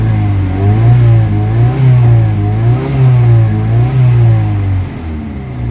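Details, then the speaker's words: Kia Pride after XADO engine treatment for white smoke, vibration and low power: even engine note around 2,200 rpm rising and falling with throttle blips, no misfire; combustion now smooth, exhaust smoke gone. "saka pag 2,200 yung ung ano niya tunog niya oh pino na kanina nag-wild ' ba ngayon Oh Medyo okay na yung sabog"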